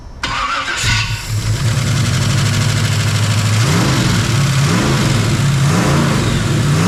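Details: Jeep XJ with 350 V8 swap, after fixing dead cylinders, bolt leak and loom: cranks, catches quickly and settles into a steady deep rumble without stumbles; normal idle with all cylinders firing.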